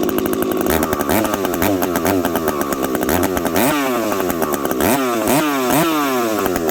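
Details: Husqvarna 372XP chainsaw fitted with a new bolt-on UFO pipe, warmed up at about -30 to -40 °C, cutting frozen ash: strong scream, pitch dipping and recovering, slight burbling four-stroke under load; healthy, slightly rich tune, high jet already leaned a smidge.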